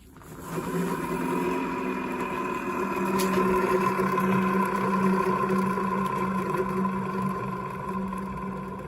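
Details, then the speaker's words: Renault Zoe ZE40 electric motor, 116k, removed and spun by hand: steady low rumble with a gritty high-pitched rattle, proper bearing noise, likely both motor bearings worn. "the M sounds pretty terrible proper bearing noise so it's actually um it kind of sounds like both bearings"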